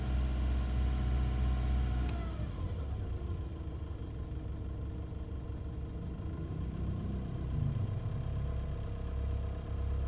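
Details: Nissan Navara, abnormal engine noise noticed between 750 and 2000 rpm: low drone with uneven throb at lower revs shifting with engine speed; cause not identified.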